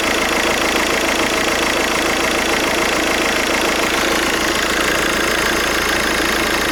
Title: VW Golf 5 alternator problem /bad alternator/ 1.9TDI 77kW